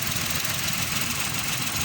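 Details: Honda Zest idling after repair. Cylinder 3 had been misfiring and the fuel pipe was replaced with a new one. The idle is steady and even, a busy hiss over a low rumble with no stumble, running smoothly on all cylinders.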